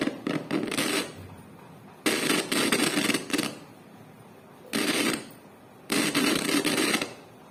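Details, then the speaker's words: Amplifier volume knob turned up and down gives harsh crackling "char char" bursts lasting about a second each as it turns; the volume button has a fault and the sound isn't clear: a scratchy, dirty volume potentiometer. "जैसी मैं अपनी volume को तेज कम करता हूं तो friends क्या होता है जो यह हमारा जो यह एंपलीफायर का जो वह लूंगी बटन है इसमें कुछ प्रॉब्लम आ गई है जिससे हमारा एंप्लिफायर जो है वह उसमें थोड़ा क्लियर डिसाइड नहीं आ रही"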